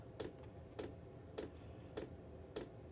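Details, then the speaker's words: Chinese diesel heater, wall-mounted in a workshop, still cold and warming up: crisp evenly spaced ticks about 100 a minute in a quiet room; normal constant fuel pump ticking, speeding up slightly. "this little tick in is constant you you there is things you can do you can place it somewhere where you don't need to hear it or you just put up with it"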